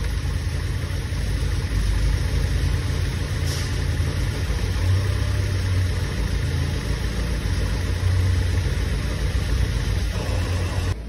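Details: Tofaş car engine after work at an İzmir repair shop, smooth even idle with a steady low hum and no knocks, ticks or misses; normal idle, engine sounds healthy and settled.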